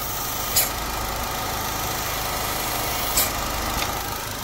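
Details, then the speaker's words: 2013/2014 JH Holden Cruze 1.4 L turbo with P0171 lean code and low boost: with the dipstick pulled there is a steady airy hiss over a wavering idle with sharp splutters, and fuel trims reach 66–67. The PCV diaphragm in the rocker cover is split. "next I was just listening around the engine B I could hear a hissing noise and uh essentially I pulled the C the dipstick if you listen to this you can hear that sort of purge"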